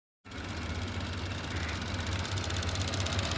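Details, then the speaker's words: 2020 Chevy Trax 1.4L turbo after valve cover replacement: an even, quiet idle with a soft steady pulse and no more thumping or knocks. The mass airflow sensor is still due for replacement. "And as you can hear, it sounds a lot better. It's not making the thumps no more."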